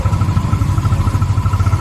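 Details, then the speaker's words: Yamaha Mio 125 carbureted scooter, very cold engine on a cool day, after carburetor cleaning and air retune: low, slightly lumpy idle rising and falling; self-revving mostly gone but idle still unsteady, steadies when warm; diaphragm kit still to replace. "ก็ประมาณนี้ครับก็ดีขึ้นนะครับอาการเร่งหายหายไปแล้วฮะจากตอนแรกมันจะเร่งมากเลยนะครับแต่มันยังเดินไม่ค่อยนิ่งเท่าไหร่ครับผม"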